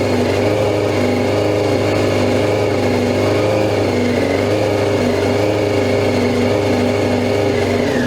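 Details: 2002 Yamaha YZF R6 four-cylinder after 6 years sitting, first start on fresh gas via an electric fuel pump: high, busy running, pitch wandering rather than steady. Fuel leak traced to an untightened carb drain screw; sticking float suspected first.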